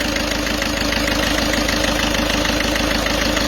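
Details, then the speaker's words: Peugeot 206 2.0 HDi 90 at idle after a timing belt job: diesel clatter with a constant droning whine on top; the timing belt is tensioned too tight, risking tooth tearing and early belt breakage. "voilà ce bruit là c'est tout simplement un bruit qui démontre que la croix est trop tendue"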